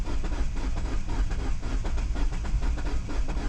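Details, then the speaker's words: 2009 Mini Cooper S (R56, N14 turbo) bought cheap, history unknown, battery fully charged: steady fast cranking with even low chugs that never fires; cranking rpm about 150, up from its usual ~100; cranks but won't start. "RPMs are even going up a little bit more. It would normally be like like really low, you know, 100 or like not even like really low. That time it went up to probably like 150 or so."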